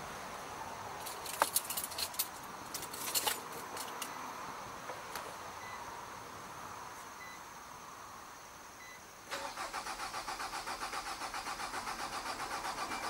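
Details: 2006 Nissan Altima 2.5S, 170k miles, during fuel pump diagnosis and replacement after the car died in an intersection: keys jangle and click, a pause, then the engine catches at once and runs evenly. Normal start.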